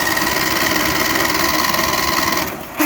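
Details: Old Briggs & Stratton 17.5 engine that sat every off-season, starter jumped directly: cranks steadily with even compression pulses, about two a second, but never catches; crank-no-start, fuel delivery suspected.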